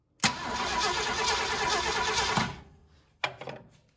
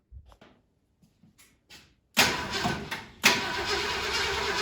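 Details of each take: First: 1968 Ford Galaxie 500 with 390 V8, sat about 13 years; after fuel reached the carburetor, starter spins engine steadily about two seconds without catching: cranks but no spark. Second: 1968 Ford Galaxie 500 with a 390 V8, sitting at least 13 years, coil wired directly to the battery to bypass a wiring issue. After silence the starter cranks briefly and the engine catches into an even, steady idle.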